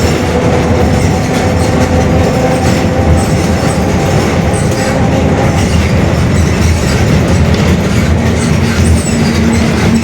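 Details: Mercedes-Benz OF-1721 Bluetec 5 city bus, 2021 build, Mascarello GranVia Midi long body, while driving: a heavy low drone under the drive noise that holds steady with road speed, a growling worn differential.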